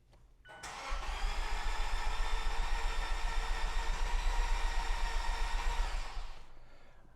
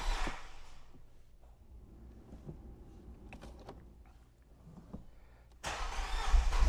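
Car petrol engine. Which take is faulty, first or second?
first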